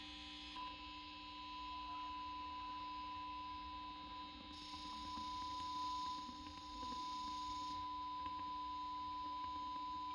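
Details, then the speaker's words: Zenith 5D810Y radio restoration, capacitor outside-foil test via phono plug: thin steady 1 kHz tone loudest over low mains hum after swapping leads, showing capacitor outer foil reversed in this orientation. "swapped around this time and you can hear that 1k hertz tone uh practically loudest day"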